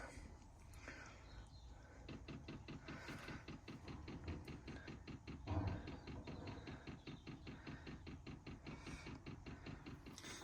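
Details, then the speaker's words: Diesel heater newly installed under driver's seat of 2017+ VW Crafter/MAN TGE, fed from main tank, leaking fuel filter removed and re-primed: quiet regular fuel pump ticking over low fan hum as it starts up; normal priming and start. "So I've just turned it on, it's just starting up now. Let's see if it gets any heat."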